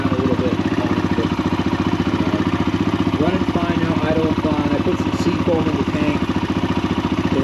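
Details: Kawasaki KLH140L small single after ultrasonic cleaning of a carburetor with likely clogged jets (it had run only on full choke): it putters at a quick, steady beat of about four pops a second, even and settled; running fine at idle.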